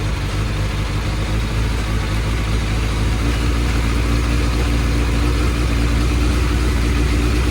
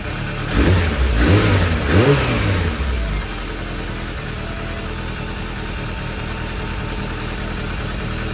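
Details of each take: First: Suzuki Bandit 600 four-carburettor motorcycle at warm tick-over, during carb balancing: uneven, lumpy idle that hunts rather than settling, caused by unbalanced carburettors; pilot screws being adjusted. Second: Suzuki Bandit 600 after carburettor balancing: three crisp throttle blips return cleanly to a smooth, even idle with no hunting; carbs now in line, sharp throttle response, misfire fixed.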